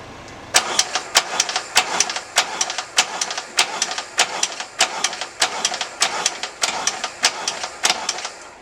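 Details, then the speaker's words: Norley cafe racer with an Ironhead engine, brand-new starter, jumped from a car, choke on: slow, regular cranking that never fires. The owner is unsure whether this is normal for an Ironhead. "the mistake isn't to seem to turn over the bike pretty quickly despite the fact it's got a brand new staff of altar and it's hooked up to my car so that's not too good"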